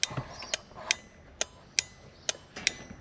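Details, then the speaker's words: Ford XA Falcon contact-point flasher can, ignition on: sharp relay clicks about seventy a minute, unevenly spaced; erratic flashing, with a very touchy combination switch also suspected, possibly a combination of problems. "All it is is contact points. Make and break points like your ignition points. So that's flashing away."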